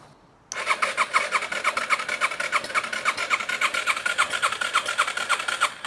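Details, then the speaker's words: 2005 Yamaha TTR 230, once submerged, cranked after draining water: uneven starter churning about three beats a second, never catching, water pushing out; exhaust valve not opening due to a broken exhaust rocker arm. "it's like it wants to try but there's some something's clogged oh it's pushing out water right there"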